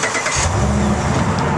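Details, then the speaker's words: Truck started with a Compustar T13 remote start system: brief crank that catches at once and settles into a steady, even run with no stumble, a clean healthy start. "now that it has started we'll get another confirmation back here on the remote"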